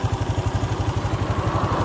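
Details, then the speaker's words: Honda Dash 125 FI after engine overhaul at 126k km: even, steady thumping idle about ten beats a second, no knock or misfire; slight noise, louder when cold, but a healthy settled idle. "Bunyi okey cantiklah. Ada bunyi sikit kan. Tapi bunyi tu tak kuat sangat. Kalau dia sejuk kuat bunyi dia."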